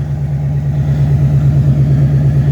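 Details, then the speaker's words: 1997 Mustang GT at idle after installing a new Quantum 340 lph fuel pump replacing a dying stock pump, fuel pressure about 41: deep, steady exhaust burble with no pump whine; smoother, healthy idle. "because that is a brand new 340 pump which is way quieter so it's only a hair over 40 about 41 so i mean that's not not bad at all our idols much smoother and you don't even hear the pump"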